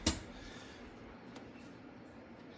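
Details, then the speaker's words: 1968 Triumph Spitfire MK3, newly added 12V headlight relays, camera on the rocker cover: one crisp click as the relay switches, heard when the headlights come on or switch between low and high beam; relays working normally. "So, if you listen, you'll hear a clicking when the when the headlights come on. And when I switch from low beam to high beam, you'll hear another click as I switch back and forth. That's the relays kicking on and off."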